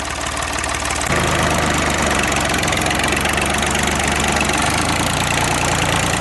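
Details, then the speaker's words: Ford 3910 diesel tractor warming up after its broken return fuel line was replaced, with the muffler off: a loud, steady idle with a deep, even exhaust beat and no knocks or misses. Normal, just noisy without the muffler. "that thing sounds pretty good without a muffler but it's pretty loud"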